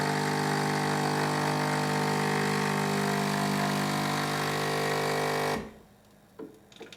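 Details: Philips 3300 superautomatic making espresso, grinder set at 2, largest bean amount, smallest output, medium heat: even, steady grinder whir holding one pitch for about five seconds, then a clean stop; the grinder sounds healthy.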